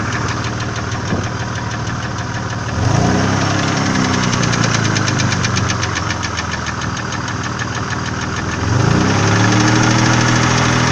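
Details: Nissan VG30E engine at idle: steady light ticking about four a second over a smooth idle, from the hydraulic lifters and cam lobes knocking in the valvetrain.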